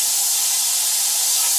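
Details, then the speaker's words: Black Max single-stage air compressor with motor off; constant sharp hiss of air escaping as a failed check valve bleeds tank pressure, before valve replacement. "And as you can hear. Air is leaking out. You can hear the air coming out pretty good coming out from right here."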